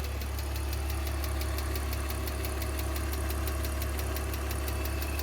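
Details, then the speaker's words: BMW (528i/320i) petrol engine at idle: loud tractor-like clatter, two or three sharp ticks a second, from near-empty oil six months after an oil change, no external leaks; cause was worn valve stem seals burning oil. "엔진인데 경운기 소리가 나죠. 심각하죠. 소리가 심각하다 싶어서 바로 공임나라에 갔습니다. 사장님이 딱 들어보시더니 엔진 오일이 없다는 거예요."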